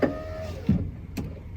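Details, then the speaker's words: 2004 Ford F150 FX4 driver's window, previously dead, rolls up unexpectedly while the white/black wire is probed: a brief motor hum, then a soft thump at the stop. The motor runs normally. "We are now on the white black wire. Let's see what we get. Oh my gosh, and the window rolls up."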